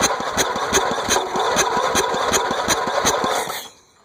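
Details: Engine after being flooded with mossy water, starter brushes cleaned, first start attempt with a little gas: steady rapid chugging about three turns a second with no firing, then stops; cranks but won't start.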